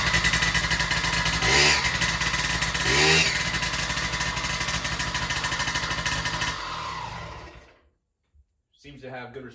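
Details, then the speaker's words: Yamaha PW50 two-stroke after aftermarket crankshaft and crank bearing replacement, bike cooled, exhaust cold: crisp buzz blipping up twice and falling back cleanly before shutdown; knock is gone, runs well. "all right so the bike's cooled out now as you can hear it runs good finish it off more knock any more just kicks over like it should"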